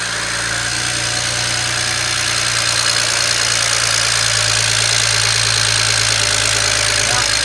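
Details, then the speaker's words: BMW 335i N54, first start after replacing the bank-2 injectors (cylinders 4–6), INPA injector coding and new spark plugs. It starts well into a smooth, even idle with normal injector and valvetrain chatter and no misfire. "let's go to start it actually it started off pretty good right there"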